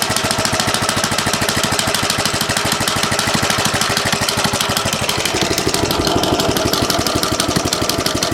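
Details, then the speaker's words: 1970 Rupp Scrambler small single after its gas tank was cleaned: rapid, steady smacking over a rough idle, tied to engine speed; more power, cause of the smack unknown; possibly a worn, sloppy centrifugal clutch. "Making that smacking noise, I don't know, but a lot more power, and it doesn't seem to run bad, which is pretty amazing. I just don't know what the smacking sound is."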